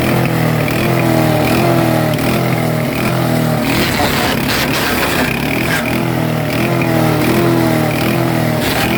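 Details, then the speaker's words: Super Handy wood chipper small petrol engine at about 60 hours: speed hunts up and down about once a second instead of holding revs; throttle lever acts as a brake, so idle must be set under the hot engine. "It's just, and you could hear it surging. And I found out why it didn't start surging, because when I turned the throttle up, this here is actually braking."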